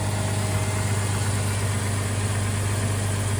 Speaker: Sounds great. All right, so look how quiet that thing is. Smooth as can be.